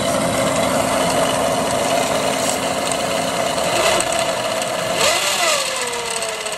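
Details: Audi/VW 2.0T with low battery light, low voltage and no charging: a steady high whine or screech rides over the engine and shifts pitch as it revs; the alternator is failing and gets replaced.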